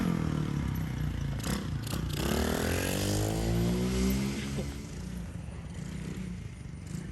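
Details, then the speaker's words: 110cc dirt bike after restoration with engine cleaned out, new sprocket and chain: small single fires up and revs lightly, note rises and settles without misfires or clatter on a test run; healthy start and revving. "Well, we got it together. Just doing a little test run. All changes done."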